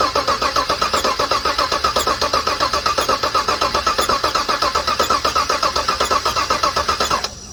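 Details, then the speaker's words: 2018 Chevrolet Suburban LS V8 after overheating, valve train looked fine: steady starter cranking at about four beats a second with a slightly uneven rhythm and no firing; cranks but won't start, compression loss from a blown head gasket suspected. "Just by the cranking alone, it sounds like there's a definitely loss of compression, which will be the next test, but not today."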